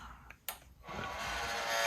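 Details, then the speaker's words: One of two Chinese diesel heaters in a cold garage (49 degrees inside), switched on: clicks then a loud steady hiss and buzz from the power supply, which is extremely loud while the fan runs. "But yeah, that noise is the power supply, and it is extremely loud."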